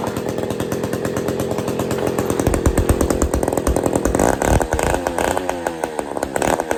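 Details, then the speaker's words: Old Bolens gear-drive chainsaw two-stroke running for the first time in the owner's years of having it, no choke; rough, uneven firing with revs climbing and dropping as the throttle is worked. Runs on its own. "here woohooo we got we got a saw that runs"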